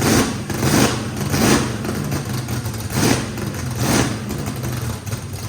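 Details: Brand-new drag-race motor with a radical camshaft, first fire-up, heavy uneven lope surging about every 0.7 seconds, no blow-by. Overlap and lobe separation needed lots of throttle, blade about six percent open; normal lopey idle.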